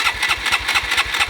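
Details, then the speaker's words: Honda Grom MSX125 after new lithium-ion battery install, in neutral with fuel pump heard priming: quick cranking pulses, then it catches and settles into a light, quiet, even idle; starts cleanly. "come on yeah nice we're on baby it's so quiet i was expecting like a lot of a lot of noise"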